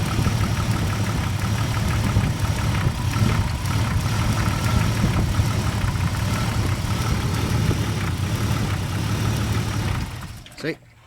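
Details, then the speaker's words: 1997 Jeep Grand Cherokee Laredo, 4.0 inline-six: engine idles steadily then cuts out abruptly like a switch (in reverse or when the computer connector by the firewall is wiggled); stalling and backfiring from a poorly connecting engine computer connector. "like I said you put it reverse and it just you know shuts off like a switch basically what it is is a computer connection right over here next to the firewall"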